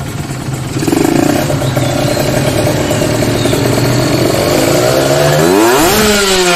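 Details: Carbureted motorcycle with its main jet deliberately oversized and set rich for demonstration holds a thick, slightly uneven drone, then revs climb lazily at the end: rich running from the oversized main jet.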